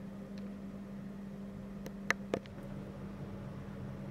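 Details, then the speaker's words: UPS relay clicks sharply over a steady low hum as it steps down high mains voltage, around 250 V and reaching up to 252 V at night and on weekends. "as you can see the UPS complains about it during the night you can hear it or during the day even you can hear it clicking away as it actually reduces the voltage going to the stuff"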